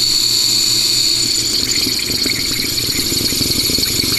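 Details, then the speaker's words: Kegerator beer tap and CO2 line, regulator showing about 10 (and 800), water poured on top to find the leak; steady high hiss with faint sputtering bursts, gas escaping, owner suspects a bad seal somewhere. "there just kind of spitting out so i don't know if i have a bad kind of a bad seal somewhere or what"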